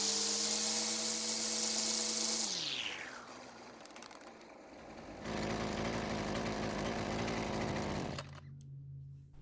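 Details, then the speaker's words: Husqvarna string trimmer after a recoil repair: the small two-stroke buzzes steadily at high speed, then settles to an even idle, healthy and responsive. "it looks like it's running a whole lot better but we did need to make some adjustments to get it there"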